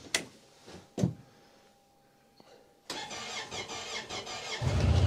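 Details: Honda Pioneer UTV started on a very cold snowy day: a few clunks, a quiet pause, then it catches at once and settles into a steady, even run. Healthy cold start.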